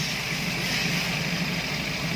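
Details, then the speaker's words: Daihatsu Gran Max after fixing high idle that would not drop: steady, even idle with smooth low hum, no misses or knocks, estimated around 800–900 rpm; engine idling normally. "Tuh, langsung jos bro. RPM perkiraan 800, langsung jos."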